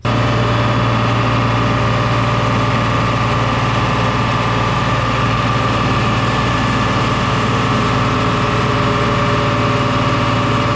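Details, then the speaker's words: 1974 John Deere 7520 diesel tractor (year also guessed as '79) on an M&W PTO dyno, with the injection pump suspected out of time: a heavy steady drone with a faint rhythmic pulse. Injectors or pump are suspected. "$80 horsepower first round, and it spit and sputter real bad. We still got some pulse on 1 and 4, but we made 87, 88 horsepower that round."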